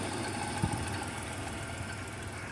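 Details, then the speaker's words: 1991 Chrysler New Yorker Fifth Avenue, revived after sitting almost 20 years, about 19,000 miles shown, four-speed automatic, recorded at the exhaust: steady, even low idle rumble with no misses or knocks; no smoke, leaks or smells, runs perfectly, normal idle. "the exhaust is right here and as you can see there is no smoke no nothing this thing runs perfectly no leaks no smells no nothing"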